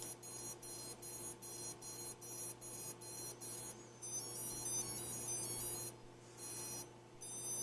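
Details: Pico Owl V1 ESC calibration, master throttle raised to top then battery plugged in: short high electronic beeps in a stepped pattern, then a longer tone sequence as throttle is lowered, ESCs accepting calibration.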